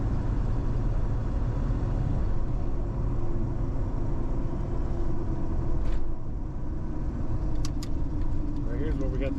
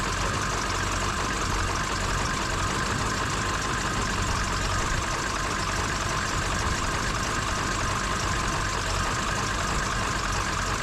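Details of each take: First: $500 Ford Super Duty with a 7.3 Powerstroke diesel, after replacing the ICP sensor and IPR valve that caused a dead pedal, cruising around 55 mph: steady low drone with even road rumble, no stumbles or surges; normal cruise. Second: Ford Super Duty 7.3 Powerstroke diesel just started after replacing ICP sensor and IPR valve: loud, rough uneven idle with a ragged knock, most likely from air in the high-pressure oil rail that needs to bleed out.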